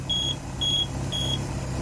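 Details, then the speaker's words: Volvo Penta 4.3 GL engine in 2002 Four Winns Horizon 180, idling: temperature sensor wire shorted to ground to test, alarm gives high steady beeps about two per second; alarm circuit working. "just a tip here if you want to test your your electric your temperature sensors if you short the wire side to the ground side"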